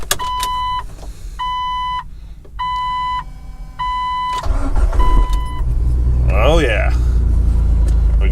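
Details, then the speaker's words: 2000 Jeep Wrangler TJ, after the no-crank fix and battery reconnection in cold weather: door chime beeps, then a brief crank, and the engine catches at once and settles to a steady idle. A clean start after weeks not running. "I'm glad it's running it's been a few weeks since we've had it going and it's good to have it back"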